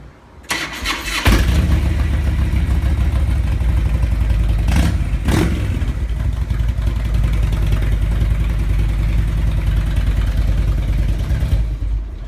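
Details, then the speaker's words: 2002 Harley Twin Cam whose fuel lines were found hooked up in reverse from the factory, after the fuel pump was reinstalled. It cranks briefly, catches cleanly and settles into a steady, even V-twin idle with no misses. "all right guys we got this fuel pump installed back in this bike and fire it up and see if it it runs"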